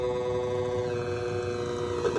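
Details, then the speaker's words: Tanzu battery portable fan with a brushed motor, after cleaning the block and sharpening the blades, on a fully charged battery: a steady fan whir with a fixed mid-pitched PWM hum over an airy rush; rattle gone, noise reduced about 50–70%. "Oke, langsung kita tes. Suara dengung PWM nya ya."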